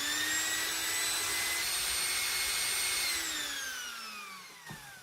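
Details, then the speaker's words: Philips hand mixer after lubrication with vaseline to cure a lack of grease. A clean, steady high whine at full speed, then a smooth falling pitch as it spins down: normal running. "this is as beautiful as sound as you can ever get out of these things"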